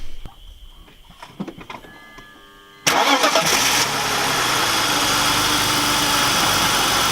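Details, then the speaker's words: BMW E46 wagon with misfire, plugs fouled black after a minute of idling; some plugs replaced. Starter whirs, catches, then idle is uneven and unsettled. Misfire persists, cause not traced; check engine light on. "just because we're going to start it up and fingers crossed something tells me it's doing a run like a bag of [ __ ]"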